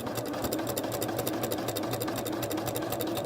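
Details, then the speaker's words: Janome sewing machine quilting through doubled wadding with the even feed (walking) foot: steady hum with a light even click about four times a second, normal walking-foot action. "that sound that kind of clicking sound is the feet the movement of the feet the action of the feet so it doesn't mean there's anything wrong with it or anything like that"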